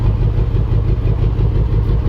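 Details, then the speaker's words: 2014 Range Rover Sport supercharged V8, previously had head gasket job: lumpy loping rough idle, severe misfire that started while overtaking; compression test shows two dead cylinders at zero compression, suspected stuck or bent valves or seat problem. "the guy said he was trying to overpass and it just started misfiring did a compression we got two dead cylinders zero compression"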